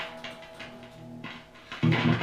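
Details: Squier Jagmaster Vista Series guitar (likely 1997): irregular scratchy crackles and pops over sustained amp tone as a control is turned; bad scratchy potentiometer.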